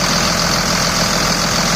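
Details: 2000 Dodge Ram 2nd-gen Cummins diesel idling after its AC compressor pulley was bypassed with a 65" non-AC serpentine belt, which the owner calls a success: steady, even clatter, no misses, knocks or squeal; normal idle.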